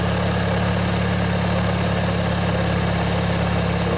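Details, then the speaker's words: Montgomery Ward/MTD riding mower, 16 hp Briggs & Stratton flathead opposed twin, after replacing a worn-out starter motor and sitting one to two years: even, steady idle putter with slight smoke and water from the muffler, runs nice. "that was the problem folks just that old starter motor there was just worn out let this run a bit let you guys listen if you want yeah it runs real nice"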